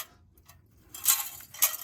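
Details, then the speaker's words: Old, rusted muffler removed from a John Deere L130 riding mower and shaken by hand: two short bursts of tinny metallic rattling from a torn-up baffle broken loose inside; the mower was very loud. Muffler replaced with new part GY21132. "I think this is the issue, that instead of a muffler, we have basically a maraca."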